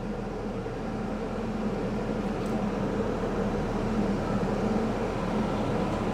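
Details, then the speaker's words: Ford Escort 1.6 16v idling with cabin blower on maximum, cold setting, air conditioning off: steady rushing air hiss over low, even idle hum; just the fan flat out, nothing wrong. "so everything seems to be working just fine it might be a little bit noisy in here because I got the because I got the fan speed on and uh"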